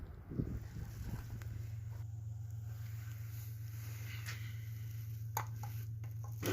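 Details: Malysh vibration well pump motor, about three years' use. It hummed without pumping water; rusted nuts cut off to open it, check valve and internals found intact. Low, steady mains-frequency hum with no rattling or straining. Normal running.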